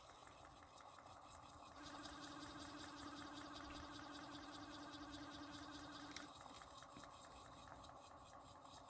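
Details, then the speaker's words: Homemade window-motor pulse motor on two JL94 circuits, running on both coils. Fast, even ticking about four pulses a second over a steady low hum, without the odd sound heard on one coil only. "I tried just using the top coil and just using the bottom claw here's the sound it makes how it's not making that sound now yeah it only makes that sound if I use one of the coils"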